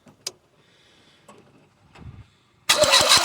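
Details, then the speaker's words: Talbot Express petrol motorhome, crank no start: a few quiet clicks, then the starter churns the engine at a steady beat but it never fires; fuel present, no spark at the plug lead, faulty HT plug lead diagnosed. "Working on a Talbot today. This one's a petrol engine and it's a crank and it won't start."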